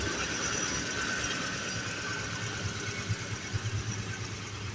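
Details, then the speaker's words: 1969 Mustang Mach 1 cold start, motor rebuilt to 4-barrel spec with a 650 double-pump carburetor, new HEI distributor and new radiator: deep, even V8 burble with a steady lope and no knocks or ticks; normal healthy idle. "Yeah, the car sounds good. Yeah, it sounds real good."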